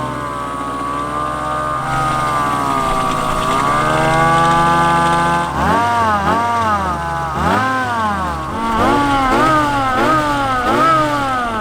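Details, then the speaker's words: Mazda Miata drift car with a $300 Amazon supercharger on a custom bracket and belt tensioner, first test drive: engine pulls cleanly through repeated rev rises and drops between shifts, no misses, kept below about 5200 RPM; working perfectly, normal running under acceleration. "1,000 miles an hour it seems to be working perfect let's keep it going"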